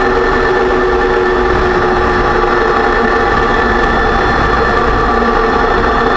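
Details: 2006 Range Rover Sport rear differential after rebuild for heavy vibration and howling, all new bearings and races; steady drone with constant whining tones over road rumble while driving, still loud. Owner suspects pinion preload too high (set 35 in-lbs, wonders about 20).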